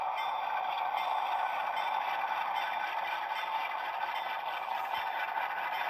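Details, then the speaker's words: Rapido Dash 8-40CM model diesel locomotive: a steady buzzy rattle over the idle sound. The body shell rattles at idle but the rattle disappears completely when moving; body shell rattle at idle. "There is quite a lot of uh shell rattle on idle. Not when it's moving, though. It completely goes away. So, you're going to hear that for a little bit."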